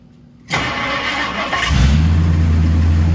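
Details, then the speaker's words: 1964 Ford Galaxie V8 first start after 30+ years sitting, exhaust cut off: short crank then deep steady idle, no valve train noise; running sweetly. "it's idling right now not even any bount train noise sweet"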